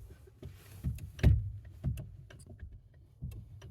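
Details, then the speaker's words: 2016-2025 Suzuki Ignis (MF) after lubricating the clutch cable pivot and linkage and readjusting free play: only soft dull thumps as the pedal is worked, no squeak or creak; silent clutch pedal. "that's it. Nice silent clutch pedal."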